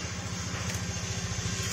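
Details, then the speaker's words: Honda Vario 150 scooter with a deep, pulsing low rumble while running, from the exhaust sitting loose and tilted on its mount because the mounting bolt threads are damaged and seized. "Coba perhatikan ini ya ini nggak bisa di depan belakang nggak bisa ini ya miringnya kan belum mepet soalnya jadi ini kalau pas jalan Itu bunyi gemuruh kayak gini"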